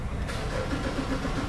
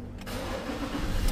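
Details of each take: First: Mazda BT50 3.2, warm after being towed in, cranking with no start: starter spins steadily with faint firing attempts that never catch; mechanic suspects a sensor. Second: Mazda BT50 3.2 after fixing the faulty sensor that caused its no-start: brief crank catches on first try and settles into a steady, even diesel idle with no stumbling; starting normally after repair.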